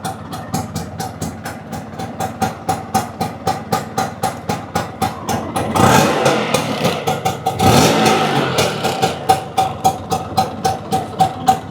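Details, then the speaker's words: Restored classic two-stroke, brought back from non-running condition, kick-started and idling; steady popping three to four times a second, even apart from a couple of brief blips, runs healthy. "लेकिन एक बार इसकी आवाज़ सुन लेते हैं, क्योंकि इसकी आवाज़ में ही दम है।"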